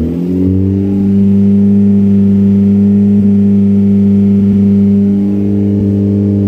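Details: Renault 5 GT Turbo with F7P engine, just after a bottom-end rebuild: a smooth, even idle that climbs cleanly on a throttle blip and settles back with no knocks or rattles. Normal running and revving.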